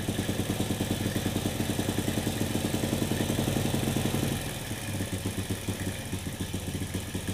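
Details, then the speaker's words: Honda Supra motorcycle fouling spark plugs with black smoke, cheap replacement carburetor; idle screw at about 1.5 turns with air closed: uneven, lumpy idle that sags, nearly dies and stumbles back; running rich. "Tapi naik RPM nya nggak langsung konstan, nggak bisa nger gitu ya. Masih deret ya."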